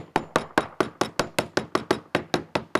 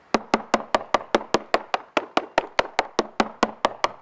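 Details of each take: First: Cornish Bay Crabber Atropos fiberglass cored deck tapped with a plastic hammer: several duller, hollow taps point to a wet, failing core; candidate for removing, rebedding and recoring. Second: Cornish Bay Crabber Atropos fiberglass deck with unknown core (balsa or plywood), tapped with a plastic hammer on a moisture-meter-dry area: crisp, sharp, uniform taps with no dull thuds; solid deck, no delamination.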